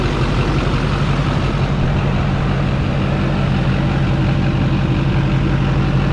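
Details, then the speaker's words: 2004 GMC Yukon with a swapped LBZ Duramax, about five minutes running after a vane sensor change that may have fixed it, with no engine codes (low coolant light still on): a deep, steady diesel idle with an even clatter, no misses or surging, running smooth. "this thing is running smooth though i mean honestly maybe we just fixed it with the vein sensor"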